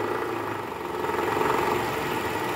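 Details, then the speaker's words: 2012 Toyota Camry 2.5 V, 2AR-FE, 167,000 km, cold start with AC on, idling in gear: coarse diesel-like gravelly rattle, quieter in neutral, loudest at oil pan; worn, loose balancer shaft rattle, confirmed on teardown. "kalau Netral suaranya berkurang nah ini indikasinya dari balanerap tadi kita sudah analisa guys bunyi yang paling kencang itu adanya di area panci oli mesin sini nih"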